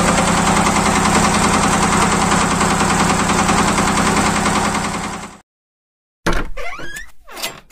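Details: Yanmar TR190R-di diesel welder/generator after bleeding air from the fuel line and injector: loud, steady chug at about 200 firing pulses a minute, even and unbroken until shutdown; normal diesel idle.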